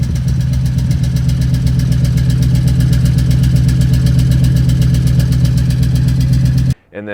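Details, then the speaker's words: 2002 Toyota Tundra 2UZ-FE V8, warmed up: deep idle with thudding, uneven exhaust beat and occasional pop; misfire code P0308 on cylinder eight, bad ignition coil pack suspected. "I came out and it was really really obvious like a like a pop every once in a while it just sounded like a misfire"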